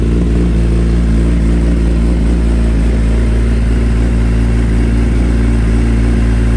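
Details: 2020 Kawasaki ZX10R with a newly installed slip-on exhaust. Loud, deep exhaust drone with an uneven, stumbling beat at low revs, and the bike shoots flames. It breaks up at low RPM; the owner suspects the ECU needs a tune for the new exhaust, unconfirmed.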